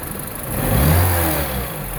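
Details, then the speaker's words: 2009 Mini Cooper R56 non-S with intake silencer box replaced by VPN 802 tube: short clean rev rising and falling smoothly with slight extra intake rush; only slightly different from before, pulls evenly, no faults. "I don't know if it sounds that much different. It sounds a little bit different, but I guess the truth will be in the driving."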